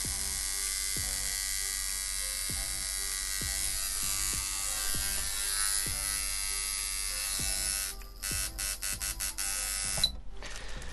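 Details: Coil liner tattoo machine tuned and running at about 5 volts: fast, even electric buzz with a bright, steady edge that stays constant; normal coil machine buzz.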